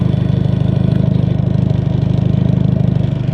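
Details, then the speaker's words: Honda Accord with a previous owner's poorly made aftermarket exhaust: a deep, even throb at idle with steady pulses and no misses or ticks, loud but a normal idle. "it doesn't sound too bad. Let me shut it off so I can hear myself think real quick."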